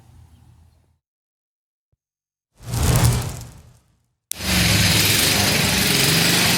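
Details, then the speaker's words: 1966 Sears Custom lawn tractor single-cylinder engine, about 50 years old, after carburetor and points ignition work: fires up and settles into a strong, steady, even run with no misses; smokes but sounds healthy. "Sounds good though, right?"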